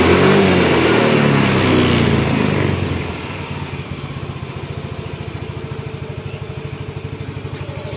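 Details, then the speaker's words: Yamaha X-Ride fuel-injected Blue Core scooter after throttle body cleaning and scanner reset: quick rev, then revs fall straight back to a steady, even idle putter without stalling or hanging; normal idle and throttle response. "stasioner sip untuk stasionernya jangan terlalu tinggi jangan juga terlalu rendah Ya intinya pokok enggak matian dan pada waktu digas enggak pandang Los gasnya ya"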